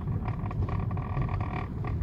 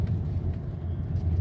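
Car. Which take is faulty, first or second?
first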